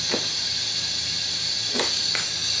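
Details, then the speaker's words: Mini excavator workshop compressed-air gun/tool: constant sharp hiss leaking from inside where it shouldn't; owner suspects a valve stuck open. "okay so it's leaking and then around here where it really shouldn't be you can hear it right leaking a whole bunch out of here and around there"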